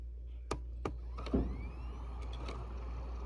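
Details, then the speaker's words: Dell laptop hard drive, a 60 GB Hitachi, at power-on: couple of sharp clicks then faint whine rising in pitch as platters spin up and level off; drive sounds healthy though laptop does nothing. "Sounds like it's got a good hard drive. I can hear it spin up, but it does nothing."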